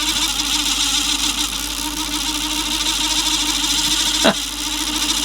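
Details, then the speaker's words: 1980s Clarion car cassette player, rusty, being revived: constant high whirring and thin hum as reels wind fast; mechanism won't disengage, apparently stuck in fast forward, cause unconfirmed. "Well, that reel's going. Jeez, it's noisy, but it's going. And that one, ooh. And it's not disengaging."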